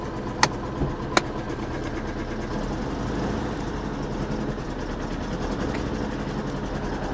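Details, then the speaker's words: 1993 Pontiac Grand Am with 70,000 miles, salvage car, on a fresh start: it runs uneven and lumpy with a wandering beat and a couple of sharp clicks, rough running; bad gas suspected. "it's running not well but it's running this runs are you kidding me again not well it's not running well"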